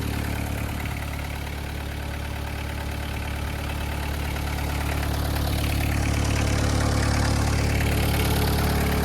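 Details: VW Caddy pickup diesel, 126,782 miles; steady diesel clatter about four beats a second with an even, unchanging rhythm and no knocks. Normal healthy idle.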